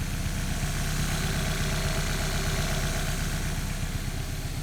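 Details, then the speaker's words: Kit car first start and road test, with oil leak: even steady low rumble with regular firing beat and no knocks or rattles, normal idle. "does sound really good"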